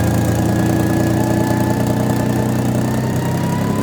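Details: Toyota 1FZ-FE engine after rebuild: idle with a thin, high steady whine over the engine note and slightly wavering idle speed; surging idle with whine, cause unknown.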